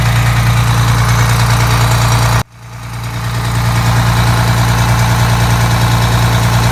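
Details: Detroit Diesel 6V92TA two-stroke after installing Jake brakes on the passenger side, test run: even throbbing idle about three beats a second, steady and deep, no misses; normal idle, successful test.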